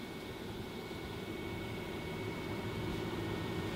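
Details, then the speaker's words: Fantastic Fan roof vent fan on lowest setting: soft, even airy rush with faint steady hum, no rattle or ticking, not too noisy; normal running on low speed. "so if you sit here on the stable it's doing its job not too noisy either"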